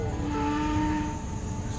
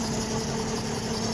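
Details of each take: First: 2013 Lincoln MKX right after engine replacement, first start: steady engine rumble with a whining tone drifting in pitch from the power steering pump, foam in the fluid expected to clear; no misfire. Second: 2013 Lincoln MKX right after engine replacement, first start: smooth, steady idle hum with no stumbles or misfire beats; power steering foam noise expected to clear; runs even and healthy.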